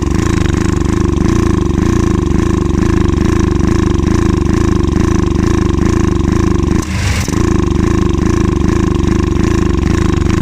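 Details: Access AX700 ATV misfiring and hesitating at idle with an uneven, lumpy beat and brief stumble; clogged injector, clogged fuel filter and fuel pump issues found.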